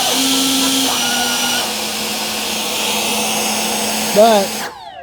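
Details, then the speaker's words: Kavan Skyfox L-39 80mm EDF RC jet on the ground: steady low whine easing in steps as throttle drops, brief out-of-tune warble while spooling at low throttle, then spool-down; impeller shows no vibration; normal sound. "It sounds really cool at full speed, but it sounds like an out of tune uh, radio whenever it's just spooling, you know, just in idle and stuff."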